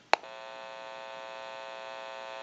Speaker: since it's an open amplifier it is prone to any kind of static interference or noise in the atmosphere and I'm going to go ahead and press the button you may hear a little bit of an electrical hum